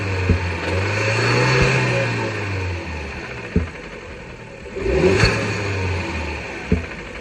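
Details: Fiat Bravo 2 1.4 T-Jet 150 HP, 215,000 km, after maintenance: revs rise and fall while sharp isolated knocks land every second or two, not tracking speed; engine knocking noise of unknown origin.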